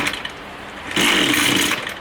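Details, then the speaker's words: Line trimmer small two-stroke, low-speed (L) carburettor screw misadjusted before adjustment: coughs into a brief raspy burst, smokes a little, fades without catching, needs throttle held to stay running; hard starting. "You can see there it doesn't want to start. Now we'll try to put a little bit of throttle in that one. You can see it's blowing a little bit of smoke, and you have to keep the finger on the throttle in order for it to stay on."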